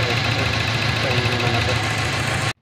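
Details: Toyota 7K engine at idle: rough, uneven idle with a loping beat and stumbles in the low thrum, a misfire; cause not confirmed.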